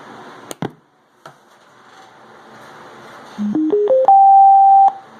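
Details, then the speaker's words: DIY ammo can Bluetooth boombox, switched on: short run of upward-stepping beeps ending in a held tone about a second long; normal power-on chime. "Because when you turn it on, there's this kind of loud beeping noise."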